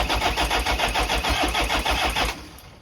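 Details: Toyota 1KZ-TE turbo diesel, first start after new injectors, cleaned intake manifold and throttle body, new turbo downpipe and oil return pipe, 15W50 oil change, with fuel lines bled. It catches after a short crank and settles into an even, healthy clatter.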